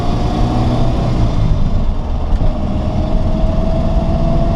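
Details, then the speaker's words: 1978 Ford Mustang II Fastback, stock 2.8L V6, 4-speed, accelerating to about 45 mph: deep even engine note rising smoothly through the gear, no knocks or misses; normal acceleration. "But she has no problems getting up to speed."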